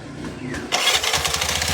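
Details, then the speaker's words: Bajaj RE three-wheeler that kept stalling and then sat unstarted for two months, after relay and wiring repair: brief starter whir, engine catches into a quick steady putter with a rattly top end. "Ayos yan mga bro kung nakita niyo umandar na oh."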